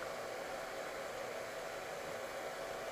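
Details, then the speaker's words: Cellpro PowerLab 8 charger regeneratively discharging a lithium EV cell at 30 A down to 2.5 V for bottom balancing; cooling fan comes on with steady, even airy whoosh, no ticks or rubbing, running normally. "after it starts discharging the fan comes on and you can hear the fan come on"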